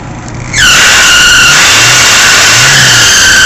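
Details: Fiat Seicento with a screech that was intermittent and worse under electrical load, unchanged by belt replacement and now permanent after alternator slack adjustment; loud, steady high-pitched screech over faint idle; owner asks whether it is shot bearings.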